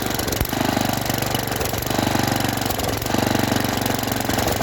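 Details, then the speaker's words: Junkyard Briggs & Stratton tiller single (owner thinks 5 hp), flooded and seized for years, on its first-pull start after it was freed and got fresh gas. The speed swells and dips every second or so, a surging idle; owner hopes it clears. A PCV hose was later found unhooked. "Surges a little bit, but maybe if we let it run a little bit, it'll clear out."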